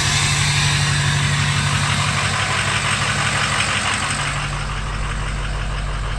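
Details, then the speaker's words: Ford 6.0 Powerstroke diesel just after a new injector install, intake not yet fitted, first start with oil pressure: steady idle with even regular clatter about four beats a second, no misses; running smooth. "we have oil pressure chicken bolster up so that's all plugged in running smooth"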